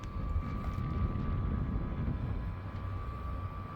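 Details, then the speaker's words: Two-year-old split-type aircon indoor unit in dry mode, fan speed 4, after pull-down cleaning and copper tube lock repair: steady whirring hum with thin high tone over low rumble, suspected worn blower motor bearing. "Pero ayan ma'am >> may ano pa rin talaga siya wearing sound."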